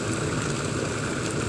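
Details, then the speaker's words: Cuisinart PerfecTemp CPK-17 cordless electric kettle, 1.7 L, boiling 0.75 L at about 3 minutes 10 seconds: steady rushing roar with low bubbling rumble, no rattles or squeals, shortly before beeping done around 3:25. Normal boiling. "now we got some boiling noise. Within a few seconds I'm sure it's going to beep here"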